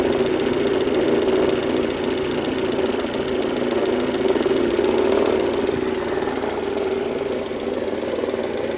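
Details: Mercedes-Benz W168 A140, 2003, engine at idle suddenly making a noise at the front: fast, uneven ticking knock about four per second over steady idle; cause unknown, owner fears major damage.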